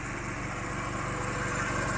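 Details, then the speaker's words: Used Chevrolet car idling after ignition coil 2 circuit problem was repaired; even, steady idle with smooth low rumble, no misses or stumbles. Normal idle. "Solve பண்ணிட்டு இந்த வண்டியோட ப்ராப்ளத்தை கம்ப்ளீட்டாக solve பண்ணியாச்சு. ஐட்லிங்கும் பக்காவாக நிற்கிறீங்க பாருங்கள்."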